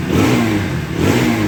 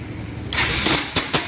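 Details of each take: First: Bajaj Pulsar NS200 after replacing the starter clutch one-way and changing the engine oil. It now self-starts easily, and revs rise and fall cleanly without the earlier starter noise. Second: Bajaj Pulsar NS 200 starter whirs harshly with sharp metallic clacks and the engine fails to start, from a slipping starter one-way clutch, which is repaired with the magneto cover opened.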